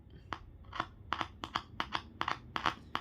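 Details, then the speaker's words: Car midrange speaker tested by touching a flashlight battery to its terminals after a good multimeter check: sharp crackles, about eight in three seconds; voice coil intact, speaker still usable. "นี่ครับแสดงว่าลำโพงเสียงกลางเราไม่ขาดนะครับยังใช้ได้อยู่นะครับ"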